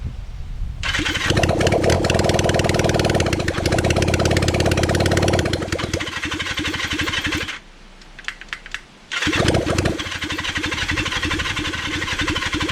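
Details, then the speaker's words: Kawasaki Zephyr 750 under restoration, carbs just fitted after ignition fixed, cranked with a bit of choke: long steady cranking churn, short pause, more cranking that never catches. Cranks but won't start, out of fuel. "so this is me turning over the bike for a long period of time before I realized that I've G it a f well still una aware that I've run out fuel"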